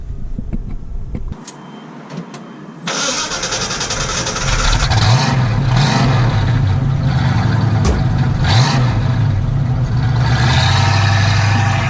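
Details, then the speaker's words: 1969 Mustang convertible V8 after alternator repair, fresh battery and sport mid-box exhaust: brief quiet spell, then catches cleanly with no starting issues and settles into strong, even, deep idle with no misses or knocks. "the alternator is fixed so there's no starting issues anymore it's got a fresh battery in here"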